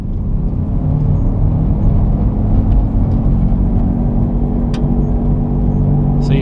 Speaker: that growl sounds like the right front wheel that's a pretty significant growl now the faster we get going the worse it becomes